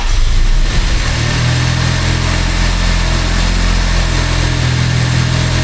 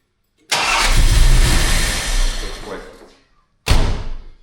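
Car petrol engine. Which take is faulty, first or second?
first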